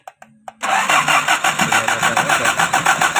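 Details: Toyota 5K engine: a few clicks, then a steady starter churn at about three and a half beats a second that never catches. It cranks but won't start.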